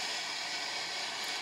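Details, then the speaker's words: US Stove 8500 pellet furnace after combustion blower motor replacement: a smooth, steady, high-pitched airy whoosh with no rattle or scraping. The new blower runs very quietly and moves plenty of air, normal operation. "okay now we just need to hook up the two wires and hook these up and fire it up so plug this stove in and it's running now the more is very quiet which is good"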